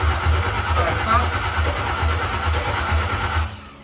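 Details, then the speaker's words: Dropped Chevy truck build, cammed 5.3 V8, first start attempt late at night: starter churns about two pulses a second for over three seconds without catching; crank no start, no power to fuel pump, later traced to ground issues and missing wiring connections. "uh it was like 11 30 at night we weren't getting the power to the fuel pump we left it alone"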